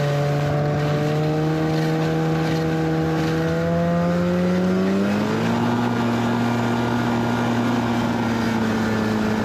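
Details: 1991 Arctic Cat Prowler 440 two-stroke snowmobile after revival: carbs checked, fresh fuel, throttle safety switch bypassed, earlier one-coil miss resolved. Clean buzz climbing smoothly in pitch as the throttle opens, no misfire or bogging. Flawless after about an hour's riding.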